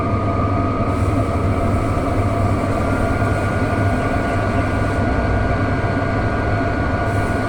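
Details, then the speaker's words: Chinese diesel heater fitted in a house window frame, running on rice bran oil thinned with acetone nail polish remover, after glow plug warm-up, coming up to full speed; steady unbroken fan and burner roar, no sputtering, no smoke; normal full-output running. "just coming up to full speed now you can hear that"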